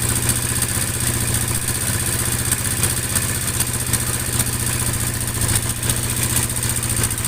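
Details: Yamaha Mio Sporty at idle: fast, even metallic clatter from the cylinder head rides over the idle and tracks engine speed; suspected oil starvation or low oil to the valvetrain, before teardown.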